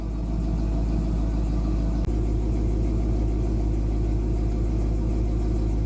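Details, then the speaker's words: 1966 Pontiac 389 V8 after new water pump, divider plates, 180° thermostat and Hayden fan clutch, idling warm at 190 after about 20 minutes: deep, smooth burble at steady idle, no knocks or ticks; normal idle. "running 190 sitting here idling. Been running the car for about 20 minutes. I'd say that's success, wouldn't you?"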